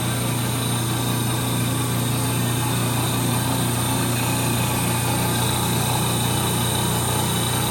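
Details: 1930 Gilbert and Barker model 106 clock-face gas pump, after a WD-40 restoration, running while fuel flows: steady, even, unchanging hum without breaks or knocks; motor sounds super smooth, healthy normal pump run.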